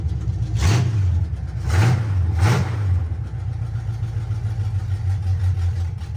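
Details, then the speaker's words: 1976 Chevy C10 small-block 350 just swapped from a 2-barrel to a 4-barrel carb, choke cable not yet wired: low, lumpy, uneven idle with quick throttle blips; running rough from too much choke and wants to die. "okay well it runs so sounds like we don't have we have too much choke so I haven't wired the choke cable on yet actually forget at the shop"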